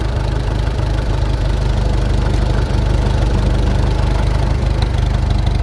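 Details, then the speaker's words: Old Farmall 400 tractor idling: lumpy, uneven beat around three pulses a second with an occasional skip; slight misfire, owner suspects it is running rich and the spark plug seems to be firing; later smooths out. "Okay, so you guys can probably hear the old 400 running here. And it's missing a little bit now. I know it is running rich for some reason."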